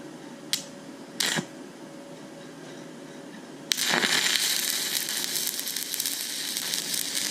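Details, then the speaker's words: YesWelder Firstess MP200 stick welding at 130 amps, switched from 6010 to 7018 mode: after a couple of taps the arc strikes into a steady, even frying crackle with no popping, running slightly better and pretty good overall. "that was 130 amps ran maybe slightly better pretty good overall"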